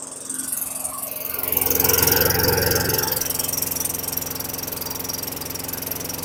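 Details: 2003 Craftsman mower (model 917.387360), Tecumseh 4.5 hp 148cc engine, after fitting the correct carburetor in place of an oversized one, just primed: single-cylinder putter swells then settles to a steady beat, idle rpm a bit low. Runs properly.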